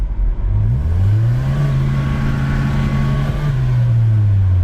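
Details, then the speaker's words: 1989 Chevy S10, automatic, driving in drive/overdrive: engine note climbs and flares under throttle but stays high with little pull; no third gear, slipping, while second drives fine. "So, let's just go for a little drive here and we'll show you, you know, first gear, second gear, and then third gear is nothing. There's a little bit of pull, but it won't go more than that."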